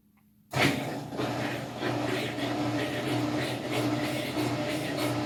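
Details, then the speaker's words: Whirlpool WTW4950XW3 washer set on drain cycle to run the pump and then spin the drum: a coarse, steady, gritty roar that holds level, typical of worn drum bearings. Unit is expected to start leaking water. "pero vamos a escuchar este sonido que es lo considero como típico de una lavadora con problemas de rodamientos"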